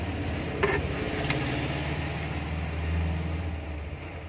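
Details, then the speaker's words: Kitchen/bathroom exhaust fan motor after replacing both old 6201 bearings with new bearings, final test with back cover on: smooth steady low hum, even whir, no grinding or rattle; rotates correctly anticlockwise, normal running. "ये देखिए बिल्कुल सही घूम रही है, शॉर्ट भी इसकी ओके है। चलिए फ्रेंड्स, ये हमारी मोटर बिल्कुल सेट हो चुकी है।"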